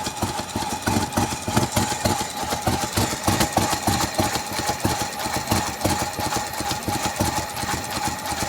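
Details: 2003 Mercedes-Benz W211 E240 V6, fuel pressure 45, barely starts: choppy lumpy idle with uneven pulses about three a second and surging; rough idle, random multiple cylinder misfire detected, cause not found.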